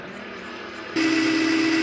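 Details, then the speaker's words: Hammond M3 organ, run motor with the momentary starter switch clipped shut after tone-generator oiling: a steady low hum and hiss, rough and sluggish, running slow; owner suspects it is not reaching speed to drive the gear train, possibly a bad bearing. "I don't think it's supposed to sound like that and it's running a little slow dead yeah it sounds really bad"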